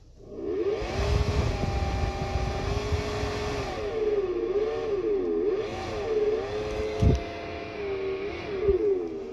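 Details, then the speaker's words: 2020 Hyundai Elantra cabin blower switched on. Fan hum wavers up and down over a rough rumble. Noisy blower motor said to need replacement; not yet known whether debris is caught inside or the motor itself has failed. "Today I got this 2020 Elantra, and the problem here is the blower."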